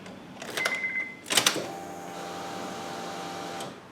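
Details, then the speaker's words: Acura RSX at ignition-on after a JDI Ghost Lock install. A few relay clicks and chirps, then an even hum for about 1.5 seconds that stops by itself: normal fuel pump priming, everything good electrically. "So I just heard the fuel pump kick on. So I know everything is good electrically."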